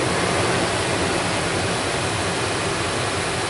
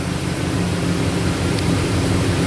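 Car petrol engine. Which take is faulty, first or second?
second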